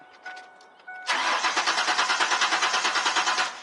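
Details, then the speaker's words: 1998 Ford Explorer 4.0 that cranks but won't run: starter turns the engine with an even, steady churn about three beats a second but it never catches; fuel problem traced to a failed fuel pump, replaced. "it does is crank and won't run you probably have a fuel problem so i'm going to show you how to diagnose that"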